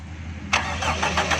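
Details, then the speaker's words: 1982 Toyota Corolla with a new battery that would not crank reliably (one start, then dead), fixed by cleaning carbon from inside the battery terminal; after the fix the engine cranks briefly and catches cleanly into an even run, a normal start. "देखें दोस्तों, ये अभी प्रॉपर सही हो गई है।"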